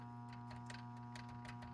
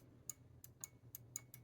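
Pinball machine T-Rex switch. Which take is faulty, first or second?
first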